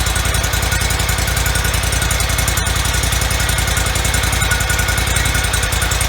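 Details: 2004 Toro Z553 mower, Kohler Command CH23 23 hp V-twin, about 453 hours, after replacing the popped-out PTO-side oil seal, some bolts left loose: even, steady thumping about three and a half beats a second, no misses or knocks; running healthy.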